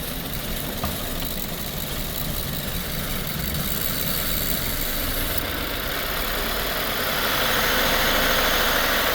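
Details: 2018 Subaru Forester 2.0 turbo petrol, code P0304, heavy white smoke, cylinder 4 still misfiring after spark plug work: idle with uneven stumbling beat under steady drone; misfire at idle.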